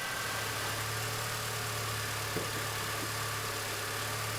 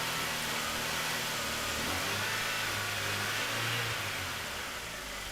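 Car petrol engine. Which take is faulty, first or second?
second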